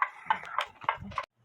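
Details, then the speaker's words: About 150-year-old (circa 1880) German Black Forest wall clock with wooden-plate movement, clamped on a bench running on the non-original weights that came with it. Evenly spaced ticks about every 0.3 seconds; in beat, though the gong may need heavier weights. "Or with the weights that came with it, it's sticking away. It sounds like it's in beat."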